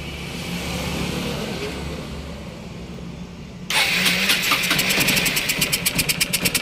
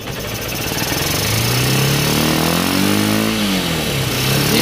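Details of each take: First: Honda CB Unicorn 160 carburettor with broken slide pin: bike idles with an uneven, stumbling beat, about three pulses a second; broken pin causes the misfire, fixed by carburettor replacement. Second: Honda CB Unicorn 160 after carburettor replacement (piston pin was broken; previously hard starting and misfiring): single's exhaust pitch climbs smoothly on throttle and drops back without stumbling or popping; normal revving.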